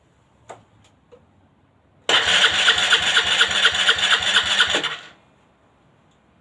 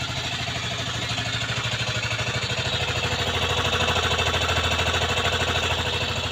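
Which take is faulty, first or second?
first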